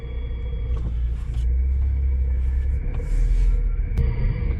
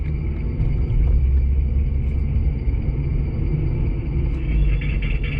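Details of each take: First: 2006 Nissan Altima with thumping brake complaint, chassis-ear microphone 1 while braking on the road: low steady rumble with light brake rub, no rhythmic thump at this corner; normal brake noise. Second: 2006 Nissan Altima with thumping brake pedal, heard via chassis ear channel on rear passenger side: steady low rumble with pulsing thump once per wheel rotation; warped rear rotor with raised hard spot on casting, other rear rotor likely also bad.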